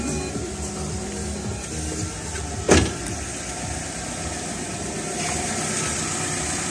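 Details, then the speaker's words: Front wheel spinning on its reinstalled caliper with the engine running in first gear, after a loud whistle from both front wheels while driving: soft even whir, no squeal or scrape; brake now runs free. "Ну все. Крутится все мягенько, ничего не пищит."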